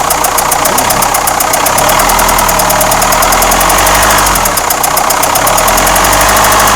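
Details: Renault Espace 4 2.2 dCi diesel at idle with a sharp, rapid ticking clatter roughly three to four per second over a steady idle; engine knock, cause not confirmed.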